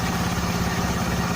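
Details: Honda Beat scooter idling after the starter dynamo fix, filter box hoses refitted; steady, even low putter with an unchanging beat and no grinding or friction from the starter gear, healthy idle, problem resolved.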